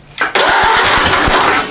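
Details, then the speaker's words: Ford AA Doodlebug engine running for the first time after setting the distributor point gap, with a gas shot into the intake. A short crank, then it catches with uneven pops and settles into rough running once primed. "fired I'll be burning up here"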